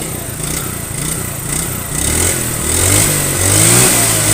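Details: Yamaha Mio scooter after carburetor repair and setting for hesitation on first throttle, heavy fuel use and low power: crisp pickup from steady idle, climbing smoothly each blip with no stumble or flat spot; normal idle and revving.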